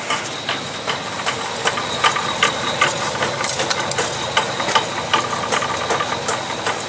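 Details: Honda CR-V with automatic transmission, wheels off, in Drive: sharp metallic clinks two to three per second over a quiet hum, wheel-speed knock under load ringing through the driveshaft; driveline knock, first blamed on a CV joint, later traced to the transmission differential area.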